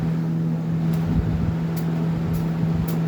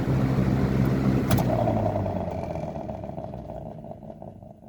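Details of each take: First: Lasko 3723 box fan on high speed; the owner suspects the motor may be spoiled or the blades warped. A steady low hum with an even tone and no knocks or rattles: high speed is running within spec. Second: Lasko 3723 box fan (1995–96 model) on first test: as it coasts down after switching off, a rhythmic hum pulses and fades with the slowing blades; gummy or dry bearings suspected, cause unclear.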